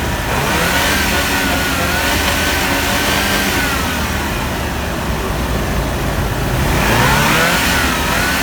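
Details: GMC 2.8L four-cylinder truck engine after a timing chain repair, with the cylinder 3 ignition coil (broken during removal) fixed, runs steadily with a smooth, even note, firing cleanly on all cylinders.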